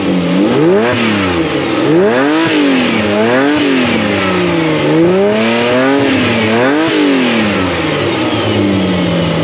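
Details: Ferrari (Ratarossa) just after fitting a belt, with the battery warning light now out: repeated blips rise and fall cleanly with the throttle, no squeal or slap from the belt, revs freely. Belt seen bouncing slightly, to be tightened. Normal running.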